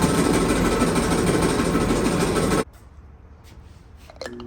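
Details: Clothes dryer before repair: loud, rough churning roar with a quick, uneven rhythm for a few seconds, then it drops away; running rough, and quiet and smooth after the repair.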